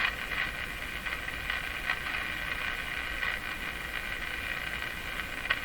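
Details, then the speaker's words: Canadian Westinghouse Model 684 tube radio on the 9 MHz band at full volume gives only steady hiss and crackle with no station; harmonics appear near 15 MHz, and the converter stage doesn't seem to be converting. Misalignment is considered unlikely. "Oh. It sounds like dirt. It's picking up dirt. It's a dirt radio. Full volume. Again, doesn't seem to be converting anything."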